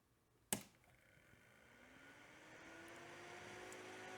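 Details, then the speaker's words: Cooling fan from a Tandy 2500 RSX computer, run on a large external power supply after cleaning: a click, then a smooth spin-up with a rising tone and strong air rush, blade noise but no bearing grind. Normal fan run. "All right, that is one powerful fan and it sounds pretty good bearing wise."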